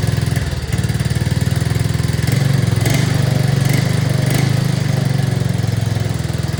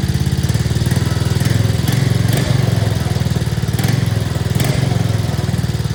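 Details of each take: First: 2024 Arctic Cat ZR 200 snowmobile on a stand, after the throttle cable was tightened to cure intermittent dying at idle: fast, even idle held well above normal with the track spinning, because the overtightened cable holds the throttle slightly open. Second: 2024 Arctic Cat ZR 200 snowmobile that intermittently died at idle, heard after the throttle cable was adjusted with more slack: steady, even putter at a settled idle with no hunting, surging or dying; normal idle, problem solved.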